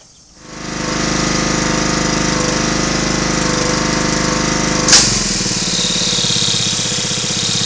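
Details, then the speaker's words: Snuba dive-rig air compressor, small engine, just out of storage: pounds along at full speed, then a sharp hiss of released air as it reaches operating pressure and drops to a steady idle; unloader working normally. "Alright, that noise you heard where it kicked out and went to idle speed, that's why I was making sure it was working, because my other unit actually failed"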